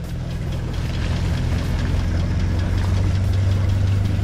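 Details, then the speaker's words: Dune buggy with VW Beetle hubs, towed to bump-start after a wheel repair: low, uneven chugging as the engine turns over but never catches. Cranks but will not start, cause not determined; to be towed to the shop. "que não pega falei para você vamos arrastar para oficina agora"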